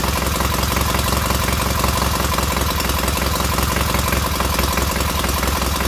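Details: Freshly rebuilt K750 twin on first start-up, after a minor ignition fault stopped an earlier attempt: steady, even thumping idle in a regular beat with no misses or stumbles, both cylinders heating equally; healthy normal idle.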